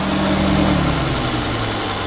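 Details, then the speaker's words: Mitsubishi Lancer Cedia GT (4G63 engine) towed in for sudden engine-bay noise, after installing replacement AC compressor with 6PK pulley: smooth even idle, steady low hum, no knocks, squeals or grinding, now quiet; normal idle. "Goods naman na. Ayan, tahimik na. Wala na rin makina, tahimik na. Wala nang unnecessary sound."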